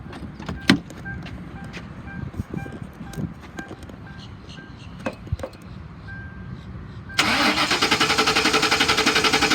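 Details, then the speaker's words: 2004 Ford Crown Victoria Police Interceptor, 86,000 miles, automatic: starter turns the engine over with an even rapid chug but it never catches; bad fuel pump suspected, it runs when fuel is poured into the intake. "it appears to have a bad fuel pump so it's being sold as is and I'm gonna hit the key here so you can hear it turn over"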